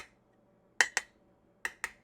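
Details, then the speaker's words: Sealed canning jars tapped on the lids, regular mouth versus wide mouth: sharp taps with bright high rings, one slightly lower in tone; both are properly sealed. "both of these are um sealed both are sealed it's not very but it's just has a slightly kind of lower sound to me"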